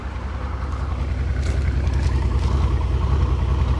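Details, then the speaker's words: Cheap V12 Mercedes SL600 (R230) with about 100,000 miles idling with a deep, uneven stumbling pulse; new misfire appears, check engine light flashing. "ah it's doing something new it's misfiring listen"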